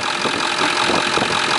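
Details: 1999 Ford F350 Lariat dually, 7.3-liter diesel, idling with the oil fill cap off: a steady, even idle with a smooth hiss and no puffing or pulsing. There is no blow-by, and the filler cap sits on the tube without moving, so the rings are healthy.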